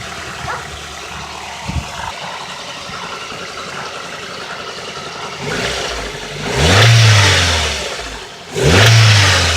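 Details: Nissan engine at a rough idle with a dull knock underneath that gets louder on two quick revs; a spun connecting rod bearing.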